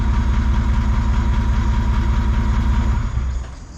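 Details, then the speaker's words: Jeep J200 swapped with Toyota 1VD V8 turbo diesel, first start after fuel system work: even, steady idle with a low rhythmic thrum and no misses, knocks or stumbles; runs smoothly. "it runs it runs right pretty stoked about that so that is a running 1 VD powered j200"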